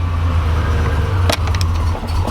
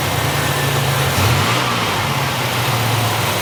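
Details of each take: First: 1987 Buick Grand National, just started cold, before warm-up, during fuel injection work: low idle that sags and wavers with dips, wanting to stall; rough idle, cause unconfirmed. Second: 1987 Buick Grand National after new fuel injectors, fuel pressure regulator and ECM chip; several throttle blips climb and settle cleanly, smooth even firing with no hesitation, though regulator leaks fuel at seam; normal revving.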